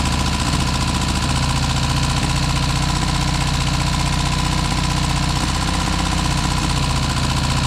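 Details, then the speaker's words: Car back running after six months off the road and major work, choke out, little smoke: loud, chuffing idle with occasional stumbles, owner thinks it is firing on three now and then, perhaps rings and valves settling in; cause unconfirmed. "there's not even that much smoke I think it's it sounds like it's firing on three occasionally for maybe that's just the Rings and the valves coming back to L"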